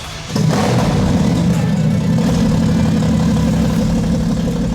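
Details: Toyota 80 Series Land Cruiser with a turbo Barra conversion, after moving the ignition to the original igniter to cure fuel problems: cranks briefly, catches cleanly, then runs smoothly and evenly. Fixed; normal start and idle.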